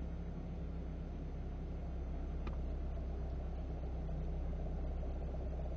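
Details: Idling car with clutch pedal released: deep steady rumble and faint rotating whir pulsing about four times a second; new clutch kit fitted but noise unchanged and slowly worsening; owner suspects a bearing, unconfirmed.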